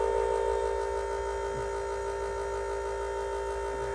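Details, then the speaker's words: 2000 International 4700 truck with a no-start and known electrical faults, lost ground at the relay jumpered with key on: steady electrical hum with a couple of clear tones, no engine running; pitch shift marks the ECM powering up. "You hear the difference in the tone? That means the ECM just kicked on."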